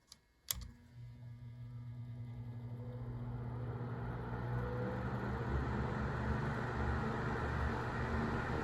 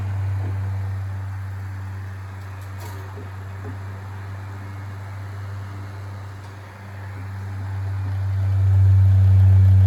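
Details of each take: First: 1970s Sears (Lasko) 9-inch portable fan, model 453.8100, front bearing lubricated: a switch click, then the motor hum builds to a steady low whir with no grinding; runs smoothly on low speed. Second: 1970s Sears (Lasko) 9-inch two-speed tilting portable fan, model 453.8100, on high speed: steady low electric hum swells louder with a buzzy edge; vibration noticeable only on high, not low; owner considers thicker oil, cause unconfirmed.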